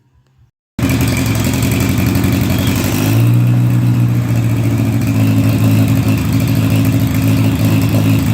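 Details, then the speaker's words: 1958 Oliver 550 gas tractor after valve adjustment and distributor check, on a remote fuel can: uneven lumpy running; spraying WD-40 at the intake port smooths it, revealing a large vacuum leak where the manifold meets the head. "Well, it started right up, but it still runs terrible."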